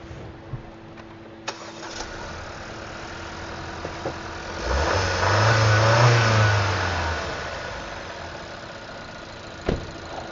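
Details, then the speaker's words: Petrol engine after spark plug (cylinder 3) and rebuilt injector (cylinder 2) repairs starts, flares, then settles into a lumpy idle; cylinder 1 still misfires, a faulty control unit which must be replaced. "ندور ونسمعها وهي بتمس فاير مره اخيره. ستيل عندنا مس فاير في رقم واحد، لازم نغير الكنترول."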